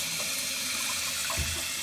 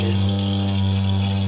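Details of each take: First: Toilet cistern fill valve after a new washer was fitted and the water turned back on: an even, strong rush of water for five seconds that shuts off cleanly. Normal refill. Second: Toilet cistern refilling: a loud, steady low drone of constant pitch with no pulsing. The fill valve washer is found stretched and misshapen, and it gets replaced. Fill valve humming from a worn washer.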